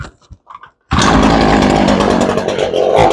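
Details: Fairly steady but slightly lumpy idle on a Ryobi 3818 chainsaw that sat all summer, after carb work and low-speed mixture screw adjustment; it's close but still needs a touch.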